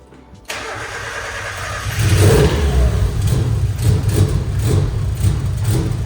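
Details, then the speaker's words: Mazda Miata with a budget DIY turbo install (intercooler, new piping), first start after cranking for turbo oil flow; cranks, fires, then a deep lumpy surging rumble that never settles, and it smokes; rough running, cause unconfirmed. "I'm going to crank it a little bit and see if I can get it to idle that would be the biggest win"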